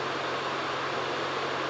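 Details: Old Sony DW-Q30A 5.25-inch IDE DVD-RW drive, on USB to a netbook, reading an Office 2003 CD: steady whir with soft low hum and even hiss, no clicking or grinding; spins up and reads normally despite a belt known to have gone bad.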